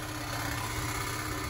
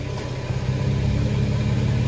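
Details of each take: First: Nissan Xterra idling, heard from underneath: busy, tinny buzz over the low rumble from an exhaust heat shield rattling because its holding bracket/clamp is broken; fixed by replacing the clamp with a plumbing clamp. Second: Nissan Xterra at idle after replacing a broken exhaust heat shield clamp with a plumbing clamp: even, smooth idle rumble with no metallic buzz or rattle; heat shield now quiet and secure.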